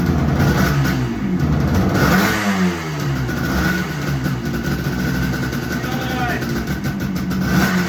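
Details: 1975 Suzuki GT250 air-cooled two-stroke twin, a barn find first running after 18 years using easy start: uneven revving, blipped up and down with ring-ding crackle; firing on both cylinders.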